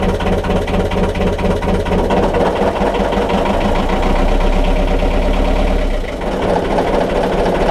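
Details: BMC 1.5 diesel narrowboat engine after a glow plug change, held at raised revs then with the propeller engaged: uneven, stumbling beat with dropped firing pulses; it misses a bit and sounds noisy.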